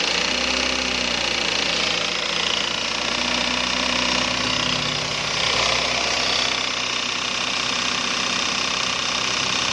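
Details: Toyota Avanza 3SZ engine running with an irregular knock, roughly three per second, tapping over it; engine knocking, cause not yet pinned down.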